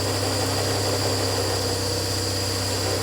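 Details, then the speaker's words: Barn-find rear-engined Czechoslovak Skoda, long stored, run with fuel fed into a jug, on choke. Loud, steady, slightly raised idle holding even with no misses or surging; noisy fuel pump noted; normal fast idle on choke. "It seems to be running. Really happy. Really happy."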